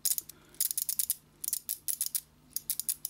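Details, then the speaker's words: Yamaha FJ 1200 café racer speedometer, trip reset knob replacing the Chinese one: crisp even ratchet clicks as knob turns, sounding higher quality. "quand je tourne ça fait pas du tout du tout le même bruit que le chinois ça fait quand même plus qualitatif"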